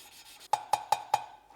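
Four quick gritty rasps, about five a second, from a valve being twisted against its seat with fine lapping paste.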